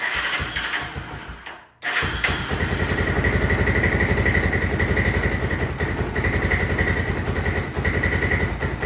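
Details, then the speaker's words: 1996 Honda FourTrax 300EX ATV, original carb rebuilt and reinstalled after a no-start: the single fires up after a brief cut and settles into a fast, steady thump, idling cleanly but too high; idle needs turning down. "So, it is idling, but we need to turn that idle down a little bit,"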